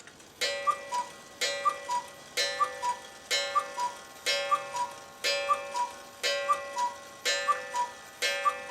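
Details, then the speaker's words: Cuckoo clock after cleaning and oiling: a clear two-note cuckoo call about once a second with crisp ticks; still a little slow but much better than before. "well that worked as we knew it would it's still a little slow but it's a lot better than it was"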